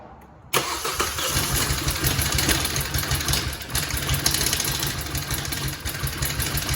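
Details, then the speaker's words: 2018 Hyundai Tucson 2.0 that quit running, ECM knock sensor code, no timing codes: cranks with a rough, harsh, gritty clatter; timing chain area suspected, not confirmed. "I mean, it's obviously, the sound sounds like it's coming from the chain area to me."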